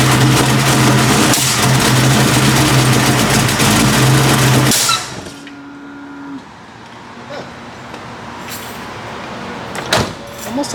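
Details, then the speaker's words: 1989 Mustang notchback V8, newly installed rebuilt carburetor, cold start after backing the idle mixture screws out two turns: runs rough with sharp backfiring pops, then stalls. Fuel and pressure are present and timing is untouched; the owner suspects a vacuum leak or timing issue. "sounds like I have a massive Vacuum Lake somewhere um okay okay got fuel got pressure that's timing's good timing should be good I haven't touched timing but yeah it's backfiring almost as if there's a timing issue"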